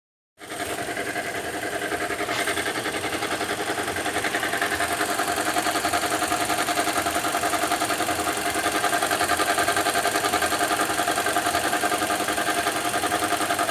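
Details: 2015 Toyota Corolla engine at idle: fast, fairly even ticking about two and a half per second over a bright hiss, source not pinned down; unidentified engine noise, cause suspected, not confirmed.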